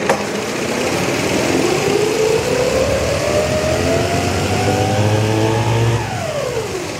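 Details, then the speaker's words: Abandoned 1960s 7 ft mini boat with front-mounted 9.9 hp outboard-type engine, running under load in water after the air-fuel mix was adjusted: smooth steady buzz, pitch climbing then easing, much quieter; slightly starved for cooling water; normal running. "I think it's I think it's it dialed in pretty good. Much quieter, huh?"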